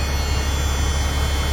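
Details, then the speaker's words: Freightliner FLD, C15 diesel, after an oil and filter change: steady, even low rumble at idle with no misses, knocks or ticks and 60 lb oil pressure at idle. Normal idle. "But yeah, I mean, seems pretty good sitting there."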